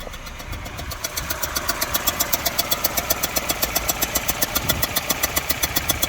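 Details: Mini R56 with N12 engine at rough idle: sharp pops through the intake about four per second; fuel pressure, coils, new plugs and timing tested good, intake manifold changed, Valvetronic suspected. Misfire with intake backfire.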